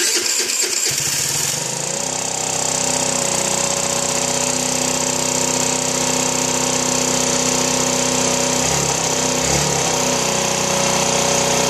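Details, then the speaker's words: Chinese 49cc scooter, after a no-start was fixed by replacing the CDI box: the starter whirrs, the engine catches and settles into a steady, buzzy idle at about four beats a second. Normal start and idle. "up so there you go um simple fixed like I think it was uh eight n bucks on eBay and she's back up and running and hopefully ready for another th000 miles"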